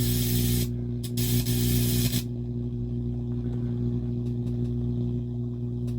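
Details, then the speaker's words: Akai AP-207 turntable after service, still with a known-good test cartridge fitted: steady low hum with several buzzing tones and bursts of hiss; noisy distorted audio output, source unknown, cables suspected. "so the question becomes where is this sound coming"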